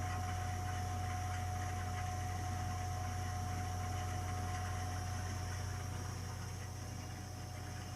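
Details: Burnham Alpine ALP150W gas-fired boiler, 3 years old, frequently rumbles when running: constant low rumbling drone with steady hum and faint regular pulse while firing; cause not evident.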